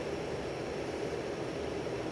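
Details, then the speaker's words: 52-inch Hunter 1886 limited edition ceiling fan, burnished brass, four walnut blades, rotating motor housing, running on high speed: even soft whoosh of moving air, no clicks, wobble or hum; normal smooth running, moving a lot of air. "But you can definitely hear the air being moved around."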